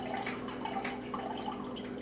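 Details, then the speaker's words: Keurig 2.0 brewer after a power blip: on switching on it instantly pours cold water nonstop, steady splashing and trickling over a faint pump hum, continuing until the tank empties; unplugging for 2 and 10 minutes did not reset it; continuous dispensing fault. "And instantly it starts puking out water. And it's cold water. And it's just going to keep doing that until the tank empties."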